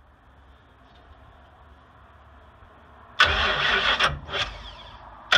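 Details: Big-block V8 no-start diagnosis: quiet, then harsh uneven cranking bursts that never settle into running; engine turns over but won't start, spark later confirmed present, cause not yet found.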